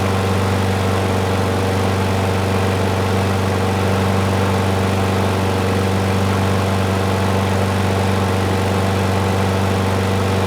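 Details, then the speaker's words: Curbside Craftsman mower 917.374541, engine 128T02-1270-B1: small single-cylinder running steadily but lumpy and uneven. The auto choke is hanging up, suspected of not opening after start. "so I'm wondering if when I started if it's not opening you know that's what it's sounding like"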